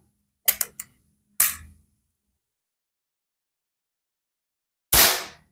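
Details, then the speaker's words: Predator PCP air rifle test-fired after reassembly with barrel transfer port aligned and bolts tightened: a few sharp, crisp cracks with even decay and no odd ring; shot sound clean and consistent. "itu ya bunyinya cetek enak bunyinya dengarkan mantap bunyinya cetek"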